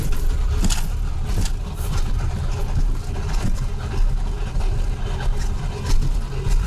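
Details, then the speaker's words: Lada 2114 (one of two on a 2000 km trip) after about 1000 km: the gearbox fell apart and first gear won't engage, so it pulls away in second. Rough, uneven low rumble with irregular clunking; the box sounds worn and dry. Cause unconfirmed. "пацаны я тронуться не могу чтобы понимали со второй трогаю съели слышите этот звук [ __ ] дорога а первая не включается вообще никак"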